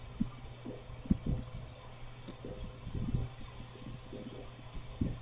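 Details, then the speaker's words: R290 cooler with Embraco compressor drawing 0.97 A, not cooling: low steady compressor hum broken by uneven thumps and chatter as the compressor ramps up, pulling down and stopping; restriction or leak suspected, not confirmed. "okay compressor just ramped up you can hear that chattering noise it's almost like the compressor is pulling down and stopping"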